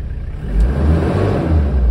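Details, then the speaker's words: 4WD truck with manual locking hubs, about 37,000–38,000 original miles, diesel revving: deep, even rumble climbing smoothly, no knocks or rattles; engine sounds healthy. "listen to that engine 37 000 original miles 38 000 Maybe incredible"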